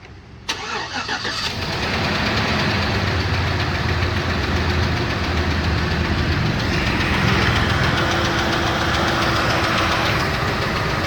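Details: 2007 Chevrolet Trailblazer LT V8, 119,000 miles, restarted after motor flush: fast idle with light quick tick over the rumble; collapsed lifter, flush didn't fix it, DOD eliminator kit with cam and lifters planned.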